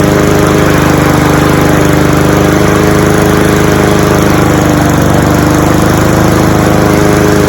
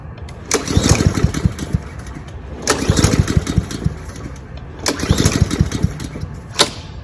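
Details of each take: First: Cub Cadet SC-700H four-wheel-drive mower, Honda GCV190 engine, cold start after sitting, outdoors in snow, possibly excess oil in cylinder: steady even drone at constant speed, no misses or knocks. Normal running. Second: Cub Cadet SC-700H mower with GCV 190 engine, deliberately run dry before winter storage after a backfire: catches in short ragged bursts about two seconds long with dead gaps, sputtering and stalling as the carburettor runs out of fuel.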